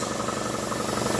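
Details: Campbell Hausfeld air compressor after repair of water-damage lockup and sheared woodruff key replaced: steady, even rapid piston thumping with no knock or squeal, building pressure, blowoff valve leaking; normal running.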